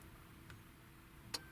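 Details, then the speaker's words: VAZ 21099 (Lada) no-start with a Bosch M1.5.4 ECU: the fuel pump relay is forced on by computer and gives crisp clicks, but no pump whir follows. Old alarm modifications cut power to the pump wires. "Хочу принудительно включить реле бензонасоса. Есть щелчок."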